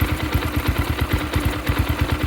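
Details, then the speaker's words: 2022 X-Pro Templar 250cc single-cylinder with new Nibbi PE30mm carburetor, warming up: idle thumping about nine beats a second, slightly uneven and hunting; sounds a touch lean, air screw then adjusted richer. "yeah he looks he sounds like he sounds like he's just a little bit uh lean so I can bring that in the air to the"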